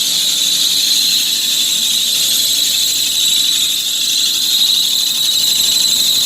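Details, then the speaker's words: 1997 Mitsubishi Mirage LS coupe 1.8L 4G93, first start after valve lash adjustment and valve cover gasket: loud high-pitched belt squeal over the engine; owner suspects something, possibly alcohol from cleaning, got on the belt; it soon cleared. "the good news is i must have got something on the belt"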